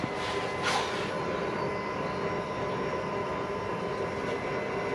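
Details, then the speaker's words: Mazda RX-7 FC3S (13B) with new Walbro 450 fuel pump and PTFE lines for E85, jumper-powered from the battery, fuel heard moving in tank, no leaks found: quiet steady hum with faint constant whine, no surging or grinding; pump healthy. "no and i can hear phil moving around in the tank okay good that's good"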